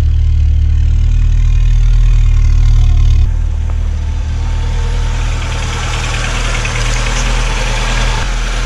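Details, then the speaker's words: 1986 VW Golf 2, 1.8 GX 90hp, cold start around -13 to -14°C after rough-running problem fixed: slow start, then heavy low rumble settling into steady even idle, no knocks or misses; healthy. "теперь красота [музыка] теперь расскажу в чем была проблема конечно в холодную немножко он медленно стартует вы видели но немножко газу dash и через одну-две минутки он работает"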